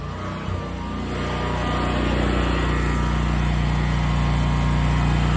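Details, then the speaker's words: Westinghouse 20,000 W portable generator powering a whole house: steady, even drone with a smooth low hum holding speed under load, no misses or surging; running healthy. "This thing is a beast. We are powering the house and this thing is is running great."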